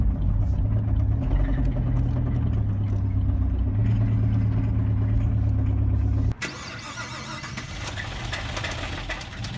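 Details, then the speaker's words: Brand new 2017 Chevrolet Camaro SS V8 being driven the night the motor blew: deep, rough running with uneven low thumping about four times a second, then cutting out; abnormal engine noise, serious internal failure. "I mean you won't you can't understand how bad this thing sounded just take a listen to what it sounded like that night when he was driving"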